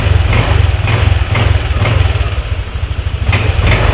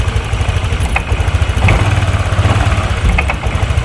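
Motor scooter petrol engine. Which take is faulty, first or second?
second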